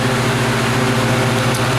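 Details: 2013 Riedel 6-ton chiller under minimal load cooling a tank, hot gas bypass capacity control active. Steady even compressor drone with a constant low hum, no knocks or surging: normal running.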